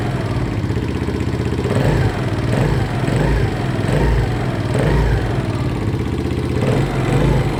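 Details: Viper ZS150J single-cylinder motorcycle idling with a few blips: light, fast tapping over the thump from excessive valve clearance. Valve tick.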